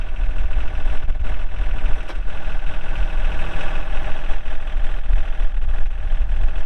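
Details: 2003 John Deere 4410 tractor loader backhoe, 34HP pre-emissions diesel, hydro, 4WD, 549 hours: diesel settles into a steady, even low chug with no sharp knocks or misses; normal healthy idle.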